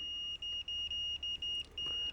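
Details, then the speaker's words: Fluke multimeter continuity beep test on a decade box around 90–97 ohms: high steady beep cutting out in short irregular Morse-like gaps, meter sitting at its beep threshold (about 120 ohms), so a beep doesn't prove an automotive blade fuse is good. "How often have you heard a mechanic in a YouTube video testing a fuse where it's beeping like this? Intermittent pulsing. Oh, if it beeps, it's good. No. No."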